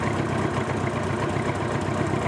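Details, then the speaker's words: Old Honda Gold Wing idling: low, steady, even beat with no knocks or misses. The engine runs well, but the start switch is suspected, and the carbs leak petrol and probably need cleaning. "ll, that's good then. So, engine still runs good on this one."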